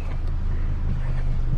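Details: Healthy 2005 Chevrolet Colorado engine idling after PCM replacement fixed its no-start and relearn succeeded, check engine light out: low, steady idle rumble with an even beat and no misses or knocks.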